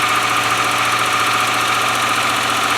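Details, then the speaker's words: 1997 Land Rover Discovery 1, first start after jumping the starter, with the original ECU and a stand-in battery, engine oil low: steady idle with a light, fast ticking on top, which sounds like noisy tappets (suspected, not confirmed). "hey hey listen wow that's brilliant isn't it well taffets are a little bit bad but"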